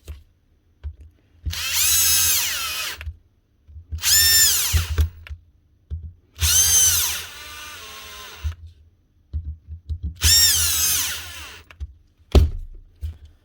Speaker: like I said there's nothing wrong with the begin with it's just back from being repaired just needed to be closed up properly